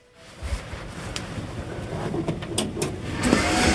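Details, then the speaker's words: Old HP Pavilion desktop running Windows XP: a loud whir right after switch-on that keeps building, with some rattle. A failing fan or hard drive bearing is suspected. "oh that's loud what the hell is with a bearing oh we got XP that doesn't sound good is that the hard drive"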